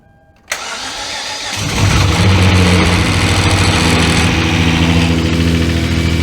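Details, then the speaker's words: 2011 Hyundai Genesis Coupe after engine replacement for low compression, first start: brief crank, catches cleanly, settles into steady even idle with no misfire; fluid leaking, probably from the transmission cooler, and smoke possibly from oil residue. "It runs. It makes Sounded noise. good. I didn't hear misfire."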